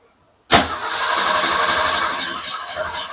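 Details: Car that had been sitting, with fuel delivery problem and a pump that wouldn't prime, cranked with gas pedal pumped: starter spins steadily but engine never fires; crank no start, fuel supply suspected.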